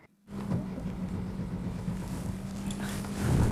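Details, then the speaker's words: Abandoned old Audi found in snow, fresh battery fitted, engine no longer stuck: starter churns the engine about three seconds with no firing or catch; cranks but won't start, cause not yet found. "May good news at bad news tayo. Hindi na stuck ang makina, pero kailangan pa rin natin itong ayusin para gumana."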